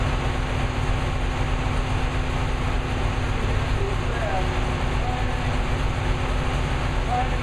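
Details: New V8 with Lunati 60140 solid cam, idling hot after valve lash was reset from about .010 to .014 intake and exhaust per the cam card: steady, even idle with a smooth low drone, no ticking or clatter; valve lash sounds correctly set.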